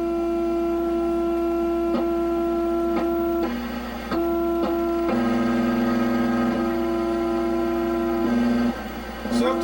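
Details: Zenith 17D25 chassis black-and-white TV being checked for repair on channel 3 signal: a harsh, steady buzzy tone with evenly spaced overtones throughout; cause of the audio buzz unclear.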